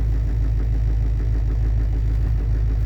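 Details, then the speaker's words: GM Duramax LBZ diesel truck on cold start: deep idle with uneven lumpy pulse and heavy shake strong enough to shake the camera, running rough then smoothing right out; rough cold-start idle, cause not stated. "so you can just hear the trucks running. It's rough. See the camera shaking. Trucks are running a little rough. And then it just smooths right out."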